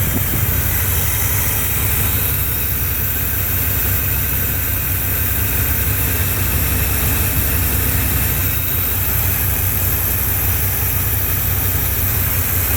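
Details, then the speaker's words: Chevy truck TBI engine converted to Edelbrock Performer 600 CFM carburetor, first runs after sitting two years: low, even V8 idle, steady without stumbles or misses. "so y'all can see it as you can hear she's running really good"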